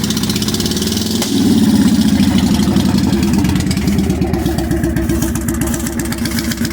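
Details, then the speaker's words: 1998 Honda Shadow VT1100 V-twin, abandoned bike just revived, running with no radiator or coolant: catches with a brief blip, then a steady even loping idle; normal idle. "so as you see there's no radiator no coolant in it but it's running sounds good little bit of backfire there"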